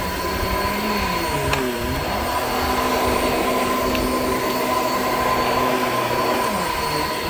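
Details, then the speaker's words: Shark Infinity pet care upright vacuum, old unit: steady roar with a thin high whine and brief wavering creak; owner says the brush roll belt is shot and needs replacing, and the brush roll stopped many times. "creaky creaky creaky all right so as you could hear the belt on this is like pretty much shot like it's it's really old clearly needs to be replaced"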